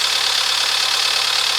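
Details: Cold Astra engine at idle: fast, light, even ticking knock over a hissy engine note; mechanics disagree on cause (bearing, piston slap, lifter, rod bearing, camshaft, water or oil pump), unconfirmed cold engine knock.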